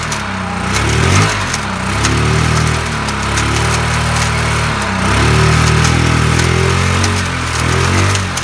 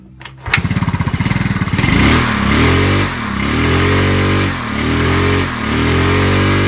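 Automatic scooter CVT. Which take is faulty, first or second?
first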